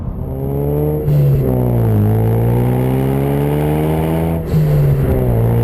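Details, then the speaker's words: 2016-2018 Ford Focus RS with a new MagnaFlow 3" stainless cat-back exhaust, speaker sound disconnected, cruising steadily at about 2,000 rpm: deep, constant low tone with no booming drone at all; exhaust sounds healthy. "Yeah, even trying to cruise it at $2,000, keep it consistent there, where you would get your normal drone, there's none at all."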